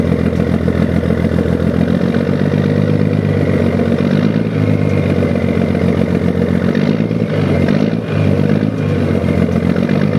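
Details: 1975 Scania truck diesel, engine just rebuilt, at about 1500 rpm: deep, even clatter with smooth, gentle rev rises and no knocks or misses. Oil pressure is not dropping. Normal, healthy running.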